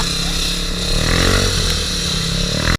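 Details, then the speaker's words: Scooter held hard at high revs: coarse droning whirr from the CVT growing louder before it cuts out; drive belt gave out and broke, leaving the drive face shredded. "Lalong lumakas yung ingay. Ha? Ha? Tuluyan ng bumigay. Hindi umabot."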